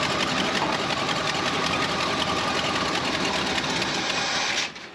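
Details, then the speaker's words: Ford F250 that sat several years: fast, steady cranking about four turns a second that never catches. Good spark, but the injectors aren't firing and both injector wires are grounded out; fuel delivery problem. "It's definitely a fuel issue. All right, so this Ford, the injectors aren't firing. Got good spark."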